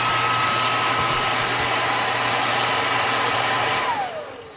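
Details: Repaired Dyson DC22 vacuum, previously broken and clogged, tested after reassembly: strong steady high-pitched motor roar with clean airflow, then smooth falling whine as it spins down, working normally.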